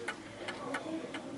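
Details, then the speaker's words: Smiths Enfield 8-day oak mantel clock, about 1930, sitting on an uneven surface: tick-tock with alternating long and short gaps, ticking heavier on one side, out of beat and likely to stop eventually; adjustable at the back. "And you can hear it's ticking one side more than the other. It's like ticking more than talking, which means it will eventually come to a stop."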